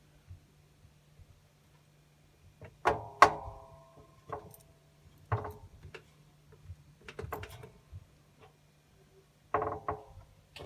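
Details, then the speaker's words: LG washing machine, 1 year 6 months old, working fine: irregular hollow thuds and clunks in short bursts as the drum is pushed by hand; owner says it's the drum, not the suspension springs, cause unknown. "what what is that um please know the machines worked fine um still works fine but i've always just been a bit curious about that noise any ideas"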